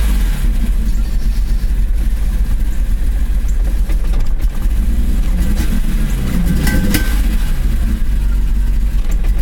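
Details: Ignition misfire on a BMW E34 M5 S38B36 straight-six from a worn distributor cap and rotor: the engine stumbles and hesitates under throttle, with uneven, chopping exhaust pulses as it revs.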